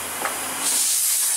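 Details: Porsche Cayenne V8 air suspension fault: a steady high-pitched hiss of escaping air that builds and holds as the strut sinks fully after raising; the air spring is leaking and must be replaced.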